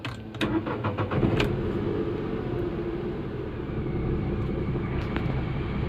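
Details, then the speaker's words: Renault Kwid with starting problem (no crank, no start, key cell fault), after fix: brief crank, then engine catches at once and settles into steady even idle; starts cleanly with no hesitation. "वो गाड़ी मेरा start हो गया normally आप देख सकते हो बहुत अच्छी तरीके से स्टार्ट हुआ है कोई भी ऐसा प्रॉब्लम नहीं ए रहा है"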